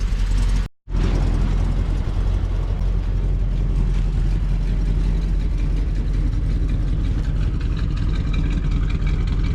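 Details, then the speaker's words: 1987 Class A Coachmen motorhome engine, around 74,000 miles, uses very little oil, warmed up: smooth, even low idle with no knocks, misses or whine; transmission fluid checked clean; healthy warm idle. "Honestly, that engine sounds just fantastic. It's a good runner. Hardly uses any oil."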